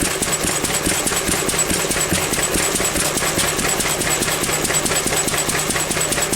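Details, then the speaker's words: Pre-electronic engine after weakening an over-rich mixture, now around 17:1; even, steady beat of roughly 140 a minute firing on every compression stroke, but still slightly too lean, so it is richened. "now that now is running at 17 to 1 because it's running every compression. I've So that's still a little bit too weak, look."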